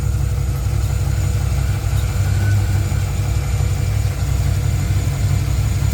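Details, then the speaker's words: Tahoe V8 at warm-up idle: deep, even idle with a faint loose tapping about three times a second; owner almost hears rod knock but thinks it's upper valve train, possibly cam; possible root of an oiling issue, unconfirmed. "I almost hear Rod knock. She sounds like she's knocking, folks. I don't know if you guys can hear what I'm hearing."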